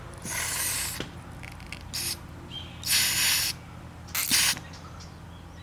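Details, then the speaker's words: Carburetor on a Kawasaki dirt bike, carb off the bike with floats raised: short hissy puffs of air pass the float needle valve when blown through, so it isn't shutting off fuel; it later sealed, owner suspects debris. "When these floats come up, it should shut off fuel flow, but it's not. I need to hose it. Give it a listen while I blow."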